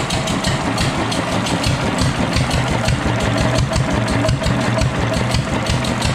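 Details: Fully restored, disassembled and rebuilt Deutz stationary engine at slow idle: a steady, even low diesel beat with no knocks or rattles; the engine runs smoothly and sounds healthy.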